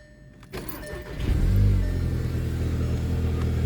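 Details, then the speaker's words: VW GTI with stock exhaust, cold start: the engine catches after a brief crank and settles into a loud, steady, deep idle roar; normal cold start. "so we're going to go ahead and hop in the gti get a little bit of a cold start today even though it is still stock exhaust"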